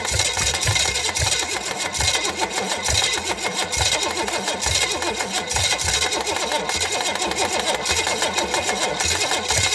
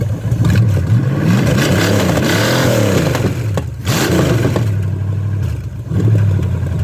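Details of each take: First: Chevy small-block 305 bought for $50, unknown history, carb fitted, float bowl just filled: steady fast starter whir with even compression pulses that never catch; cranks without firing, distributor later swapped for an ATI unit. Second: $50 Chevy small-block 305, first start after fitting an HEI distributor in place of a points unit that wouldn't time, no coolant in it: catches and runs with deep, even rumble, pitch rising and falling smoothly through quick revs, no knocks or misses.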